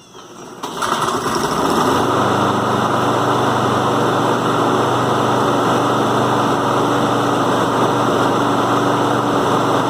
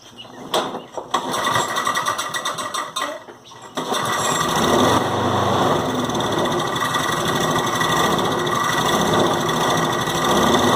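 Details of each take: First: John Deere JS36 mower that would not stay running, after carburetor cleaning cleared a small obstruction: catches within a second and holds a smooth, even run with no surging or misses; running normally. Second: John Deere JS36 mower that won't stay running: with the air filter off and starting fluid sprayed in, it sputters a few times, then catches and runs steadily. This points to a blocked carburetor, which gets cleaned.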